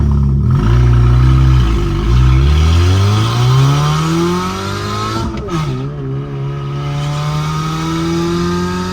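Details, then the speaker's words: Mini Cooper S after repairs, first idle in the shop: the engine revs up and down cleanly with a quick, fairly regular ticking puff over the note, from a known exhaust leak; otherwise it pulls strongly. "So we do have an exhaust leak, so keep that in mind. But this thing rips. It is a blast to drive."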